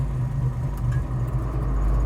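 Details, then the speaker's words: 1970 Chevelle SS clone V8 idling with A/C switched on: deep steady burble, idle dips slightly as the compressor engages, then steadies, normal idle. "air conditioners on did you hear the uh the idle go down just a little bit i can already feel the air conditioner air conditioner works great man"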